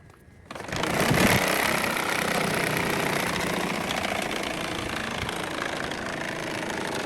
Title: AC Blower Making Noise | Blower Change | এসি ব্লোয়ারের শব্দ করছে | ব্লোয়ার পরিবর্তন | 👍🇶🇦🛠️🧰